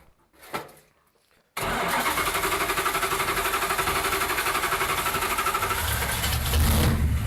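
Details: Datsun Magnum V8 with new supercharger, started by powering the ECU/fuel injection only after cranking begins to avoid flooding, charge piping not yet fitted: catches at once, settles into steady even lope about four pulses a second; normal start and idle.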